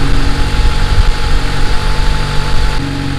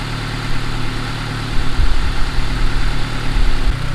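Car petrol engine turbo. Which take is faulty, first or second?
first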